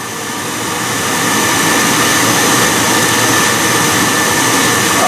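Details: Biasi B-10 boiler with Riello oil burner, bleed valve cracked open after reset: steady loud motor roar with hissing rush, even and unchanging, as burner motor and pump purge air from the fuel line.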